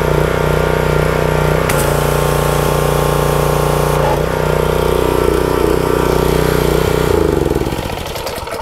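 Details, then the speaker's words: Pressure washer single-cylinder small engine after an oil change and pump saver treatment: cranked first try, strong even drone then winding down at shutoff; running healthy, oil okay. "okay so it cranked up first try also it sounds pretty good so i know my oil is okay"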